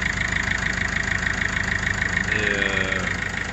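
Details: Peugeot/Citroën 1.6 HDi diesel at idle after injector seals replaced and carboned injector cleaned and refitted: even clatter with regular, crisp injector ticks, no hiss or puffing.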